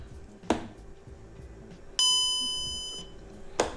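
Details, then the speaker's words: VW Golf 5 instrument cluster (also Caddy, Eos, Tiguan, Touran) after repairing the dead warning/light buzzer, plugged in: one clear chime about a second at power-up; buzzer and display work. "So warning buzzer works, display also works, as we just saw."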